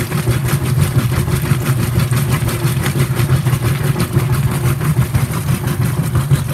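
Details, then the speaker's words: Whirlpool WTW5300SQ0 top-load washer after a new timer was fitted, warm water, normal regular cycle, high agitation: even rhythmic swishing strokes over a low motor hum, no knocks, normal agitation. "and all that stuff so this is high education and also this was on regular"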